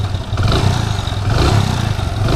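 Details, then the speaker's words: Splendor iSmart 110 motorcycle after timing chain replacement, which had made a loud chain noise: even quick single-cylinder idle with soft low thump, no top-end rattle; normal idle. "Bike start है दोस्तों अपनी तो दोस्तों जो bike है इसके sound इतने मस्त हो गए हैं बढ़िया एकदम सुनो हो गई है"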